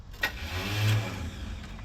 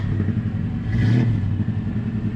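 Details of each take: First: 1974 C10 truck with a used replacement starter fitted in the driveway: a brief electric whir winds up and dies with no cranking, because the starter spins but its pinion doesn't kick out to engage the flywheel. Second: 1974 Chevrolet C10 V8 running after driveway starter replacement: deep, even rumble swells cleanly as the throttle is blipped and settles back, no knocks or misses; healthy.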